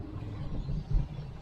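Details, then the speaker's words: Hummer driven over a bump after frame replacement repair: only low road rumble and a single soft thump, no rattle or clunk; chassis solid, no suspension noise. "as you can tell there's no no noise no nothing man she's solid"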